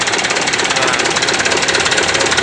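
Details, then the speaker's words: Mitsubishi Canter PS125 diesel truck after advancing injection pump timing and adding fuel load: sharp, rapid, even clatter with a hard pounding edge at idle and the engine shaking somewhat; fine at high rpm. Diesel knock from advanced timing. "memang untuk hentakan mesinnya agak sedikit goyang ya cuman kalau RPM tinggi Ya aman Bro"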